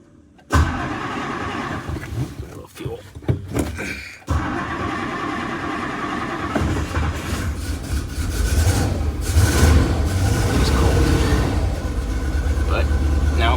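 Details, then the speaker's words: 1964 Ford Thunderbird with intermittent no-crank from a misadjusted neutral safety switch, after adjusting and cleaning the switch: short crank, catches at once, settles into a steady, even idle with no misses or knocks. "all right so got her running clean and adjusted our neutral safety switch"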